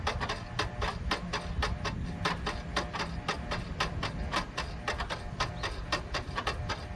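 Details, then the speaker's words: Abandoned Pontiac Firebird with battery installed: headlight mechanism clicks rapidly and irregularly, about two clicks a second, while headlights run; headlights work, cause unknown; earlier clicking with dash flicker suspected voltage-related. "Just headlights. Why do they do that? They do work. They just click really weird."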